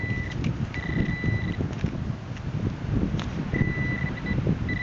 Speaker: Oh, it's a sinker. You see how the lead gave that lovely signal on the ATX there.